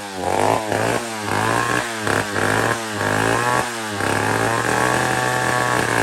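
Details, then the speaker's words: Old McCulloch 1-71 chainsaw after a major carb upgrade: carb rebuilt with jets from another carburetor, leaking gas line zip-tied, intake leak fixed with a double gasket. Fires up, takes several quick throttle blips, then holds steady high revs without stumble or bog. Normal running. "took care of that and double gasketed our intake right there where where our leak was okay friends so we're tight let's try it"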